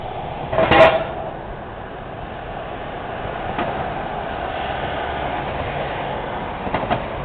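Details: Noisy manhole cover on a Montreal street that needs repair: traffic rumble broken by sharp metal clanks as wheels pass, with a quick double clank near the end, from the loose cover rocking in its frame.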